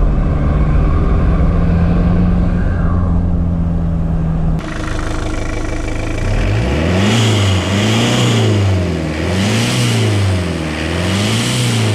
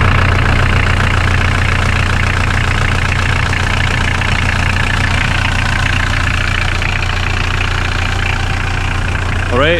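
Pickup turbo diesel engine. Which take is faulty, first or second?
first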